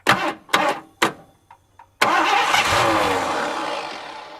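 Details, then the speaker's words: 1982 McLaren Mustang, sat 30+ years, fuel line cut and a carburetor bolted on, overfilled oil: a few short cranking bursts, then it catches cleanly and settles into a steady, even run; engine starts and runs. "I think we're going to have a runner sweet"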